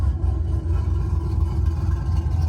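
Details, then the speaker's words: Chevy Silverado, believed to be a 2001, with a mild cam (about 260/220 duration, ~550 lift), idle before the tune change: deep, steady low rumble with no lope or stumble, a smooth, even idle as expected from a mild cam. "this basically is what you would expect from a mild camshaft"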